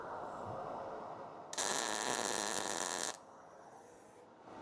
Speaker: A nice crisp sizzling noise is what you want.